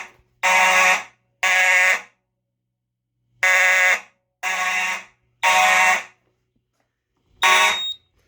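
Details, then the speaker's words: EST Genesis horn (G1-HDVM) on an EST/Edwards IO-64 fire alarm panel, run on AC power only with the batteries cut: clean, even half-second horn blasts with steady tone and no rattle or warble, much cleaner than before; normal horn sound. "oh yeah that sounds a lot better that sounds so much better"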